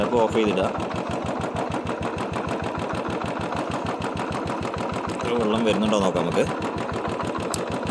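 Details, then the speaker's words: Royal Enfield Bullet single-cylinder at idle stumbling and dropping beats unevenly; misfire from rainwater that got into the tank and carburettor. "Missing ആണ് കേട്ടോ വണ്ടി മഴ ആയതുകൊണ്ട് കറുവെട്ടിൽ വെള്ളം കയറിയതാണ്"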